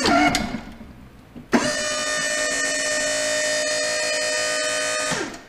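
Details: Boss V-plow, 8'2" with wings, hydraulic pump motor run from the switch to try to reproduce an intermittent, cold-worse bearing-like chatter/howl: it spins up to a steady, even whine without chatter and winds down cleanly. The noise did not occur this time.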